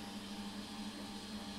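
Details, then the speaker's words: Two centrifugal pumps on a variable-speed series and parallel pumps bench-top test set, reconfigured while running and now operating normally in series: steady, even motor-and-pump hum with a faint high whine. "so there we go now running in series great"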